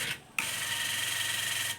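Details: Old washing machine spin motor bench-tested on power, spinning both directions; harsh high scratchy whine and rubbing hiss instead of a quiet hum, clearly noisy, likely why it was replaced.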